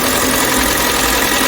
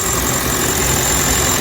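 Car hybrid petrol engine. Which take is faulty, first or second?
first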